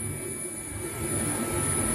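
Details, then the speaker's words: Nema 23 600 oz-in 3.5A stepper motor idle on a Gecko G540 microstepping drive: steady quiet high-pitched singing hum, normal stepper sing from coils energised for holding current. "and you hear the hum and that's called stepper sing and that's caused because again we are dealing with a micro stepping drive to g540 and also because the coils of the motor are being charged"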